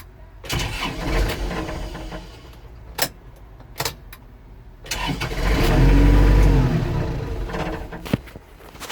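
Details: Kubota L4330HSTC hydrostatic tractor after intermittent stalling: a few clicks, then steady starter cranking about four beats a second that never catches; fuel filter changed and bowl cleaned, cause unknown, owner suspects a switch.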